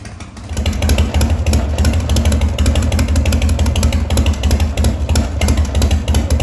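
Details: 1985 Harley-Davidson FXRS with Evo V-twin, running after sitting 5 years, on fresh regular gas: deep, loping thump about three beats a second that picks up cleanly when revved; normal idle and revving.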